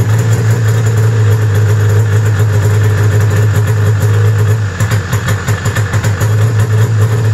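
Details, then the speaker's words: 1995 Arctic Cat ZR700 two-stroke snowmobile near 1700 rpm: fairly steady note, then puttering and stumbling once the hand warmers are switched to high, as if dropping a cylinder; replacement part didn't fix it, owner suspects wiring. "it all right so it didn't change because i switched the high setting on for the hand warmers and it started putting again like i was running wanting to run a one cylinder"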